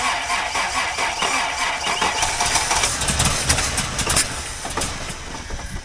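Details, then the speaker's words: 1984 Toyota Land Cruiser FJ60, long-stored, first run: rough idle with a sharp puffing tick about four times a second over the engine; exhaust leak. "Got an exhaust leak. This thing's a beast."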